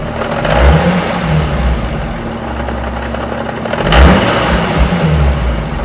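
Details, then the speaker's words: Nissan 350Z VQ35DE with newly installed JWT clutch and lightweight flywheel, warm idle: low uneven chatter rattle that goes away when the accelerator is lightly pressed; normal lightweight flywheel chatter. "I thought I'd take this video now because she's warm and she's carrying it idle so don't know if you guys can hear it but let's see oh yeah that's basically the chatter"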